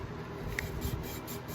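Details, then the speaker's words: Engine valve being hand-lapped with grinding compound: soft even swishing as the valve twists on its seat, no longer gritty, indicating a smooth, properly seated lap. "you hear it how it's not grinding anymore it's more of the sound you're looking for"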